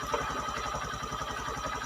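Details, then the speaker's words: Honda Mega Pro (Verza) motorcycle that suddenly died on the road with lost ignition, now starting after repair: an even, steady idle thump of about ten beats a second with no misses or rattles. Normal idle; charging voltage is to be checked next. "Oke kita hidupkan Bismillahirrahmanirrahim Alhamdulillah hidup Apakah setelah hidup ini selesai"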